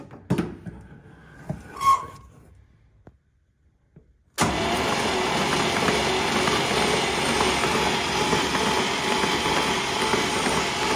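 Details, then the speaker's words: 1960s International Scout 800 Aristocrat engine, previously stuck and now freed, cranked with spark plugs out and no compression while fluid sprays from the cylinders: steady, even cranking whirr with no knocks or scraping, turning over freely. "All right. She is definitely spinning. Now what? All right. It's spinning over."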